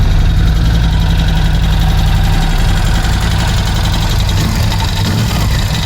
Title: Piston Slap Ducati Scrambler 1100 Special 2018 - Before replacing the horizontal cylinder and piston